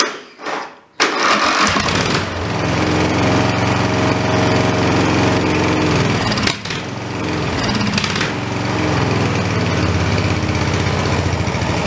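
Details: Briggs & Stratton 14.5 HP OHV mower engine, spark plug re-gapped, magneto looks out of square: catches after cranking, runs unevenly with a sharp backfire pop and brief stumble.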